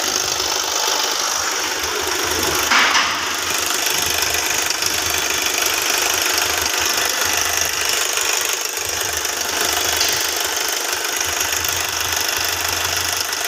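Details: Hyundai Venue at idle: fast, uneven, light metallic ticking rattle mostly from the upper engine; timing chain noise suspected, not confirmed.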